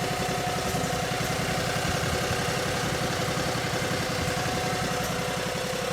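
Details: Cub Cadet 3205 garden tractor (3000 series, Kawasaki engine) idling after charge pump gerotor replacement, warming fluid and checking for leaks; steady, even idle pulse about 220 a minute, no knocks or whine; normal idle.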